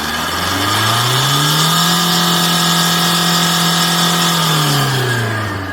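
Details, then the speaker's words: 2010 Tata Manza with low pickup and black smoke, error P0238, after cleaning heavy carbon: engine revs smoothly from idle to high, holds evenly and settles cleanly, no smoke; healthy revving. "So எந்த ஸ்மோக்கும் இல்லை"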